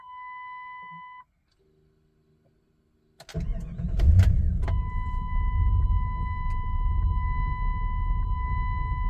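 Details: 1998 Jeep Grand Cherokee ZJ 5.9 Limited after sitting two days with a gallon of gas added: door chime, then a long uneven crank before it fires into a rough idle. Hard starting; the fuel pump is not heard, the gauges were dead, and electrical problems are suspected.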